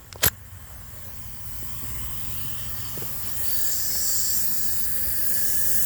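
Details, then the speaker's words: Vortec 350 small-block Chevy leak-down test, cylinders five and six, both valves closed, engine still: steady hiss of air escaping on intake and exhaust sides, valves not seating; no air into valley, rings good. "and you can hear the air see that same thing on the exhaust side so that's telling us that our valves aren't seating"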